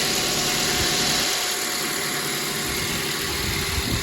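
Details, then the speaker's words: 2012 Mazda 2.0 just started after replacing the alternator, whose bouncing voltage regulator lit the red battery light: steady, even idle with a smooth hiss and light mechanical chatter, no misses or knocks. Battery light now off. Normal idle. "It's running."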